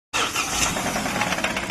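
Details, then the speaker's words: Engine revved: hard, repeated metallic knock beats through the engine noise, described as very dangerous; crank seized, and on teardown the cylinder block is cracked and leaking oil. "देख सकते हैं engine में sound आ चुका है ये गाड़ी का, काफी खतरनाक साउंड है, क्रैंक पकड़ लिया है, देख सकते हैं।"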